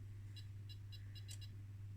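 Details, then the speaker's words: 1980 homebrew 220V AC / 12V lead-acid battery UPS inverter driven by 50 Hz signal generator input, power transistor drive unstable; steady low hum with irregular high chirps riding on top: abnormal buzzing and chirping, cause unconfirmed, new capacitors suspected. "I better get a scope on because this is scary because I can really hear some funny funny sounds and it does not sound like this is supposed to sound like that"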